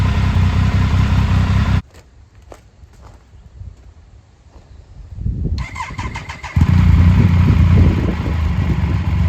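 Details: 2000 Triumph Sprint ST 955, first start in 24 years after being wrecked new and stored in a barn, with a cleaned fuel pump and new fuel hoses: runs evenly, cuts out, refires after a few seconds and settles into a smooth, steady run; sounds healthy.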